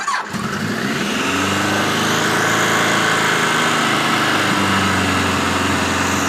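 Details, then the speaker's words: 1986 Voyager XII 1200 four-cylinder after restoration, vacuum caps fitted, near-stock jetting (110 mains, 38 slows), still seems slightly rich, cool day: quick crank, catches at once, steady even idle with no misses; far better than before, normal start and idle. "So as you can hear, that's a hell of a lot better than it's been before. Remember, the jetting is 110s in the mains and 38s in the slows, which is basically stock. But it still seems to be a little rich."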